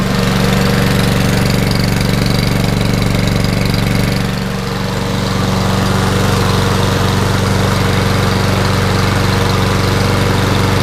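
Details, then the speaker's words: Nearly new Toro Recycler mower that was hydrolocked with oil, after clearing it and running about 15 minutes to burn off oil: steady, even drone with a brief dip near four seconds; running much better. "that's a nice view it's been running for about 15 minutes much better"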